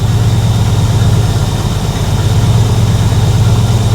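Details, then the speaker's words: 1976 Chevrolet K20 3/4-ton 4x4 truck, V8 revived after sitting for years; steady, even idle with no misses, likely new carb, no carb adjustments yet. Owner unsure if it was the carb or a vacuum leak. "Guys, that is way better. I'm sure you can tell. That runs so much better."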